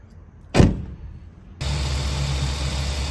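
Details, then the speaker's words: 2007 Jeep Wrangler 3.8L after replacing the alternator, possibly jump-started because of a weak battery: a bang, then it settles into an even low idle. The whine, traced to the old alternator, is gone. "as you can see the Jeep isn't making that whining noise anymore and it was definitely coming from the alternator"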